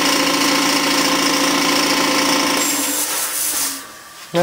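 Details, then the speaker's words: New Campbell Hausfeld 20 gal twin-cylinder air compressor (135 psi max) at break-in, regulator off, filling to near 50 psi in about a minute: fast steady pumping chatter with a high whine, winding down near the end, running normally. "seems relatively quiet i've got the regulator turned off so it's just building up treasure it's almost at 50 and about a minute about 130 gf5 max"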